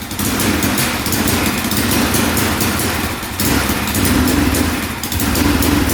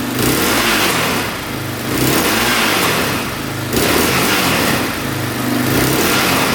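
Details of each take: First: 2004 Yamaha Raptor 660 single-cylinder quad, non-running for about 5 years, first start, oil only partly filled: at full throttle it roars but stumbles and drops back, won't rev out; owner suspects parking brake safety switch. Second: 2004 Yamaha Raptor 660 single-cylinder quad after a fix (now shut off manually): revs up and drops back about every two seconds, climbing cleanly with no stumble; sounds a lot better, thought to be fixed.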